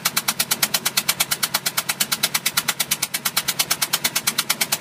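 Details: 2005 Bayliner 175 boat engine at idle: sharp, very even knock about three times a second over a steady idle; clear mechanical knock, cause unknown.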